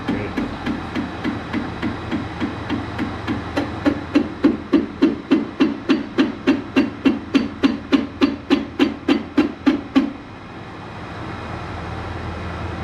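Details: Trackless blower on its first run: sharp, very even knocking about 3.5 per second over the engine, then it stops; the involute auger engagement coupling's splines are stripped, and other parts are found worn.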